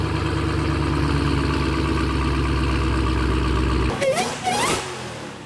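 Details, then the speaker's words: Dodge Demon 170 supercharged Hemi V8, bought at auction and rebuilt, revved at its first start after the rebuild: deep, heavy, even rumble held at high revs, then dropping away cleanly; normal, healthy revving. "A mi punto de vista, estos motores Gemi suena brutal. Definitivamente me declaro un fanático del sonido que hacen estos supercgadores."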